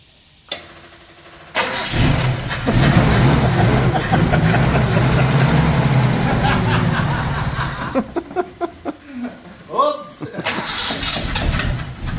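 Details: 1983 Nissan Patrol petrol engine, barn find stored for years, first start with the distributor rotor button refitted: catches and runs with an uneven, lumpy beat, then stumbles and stops. Running rough, suspected old and possibly leaded fuel; fresh fuel planned.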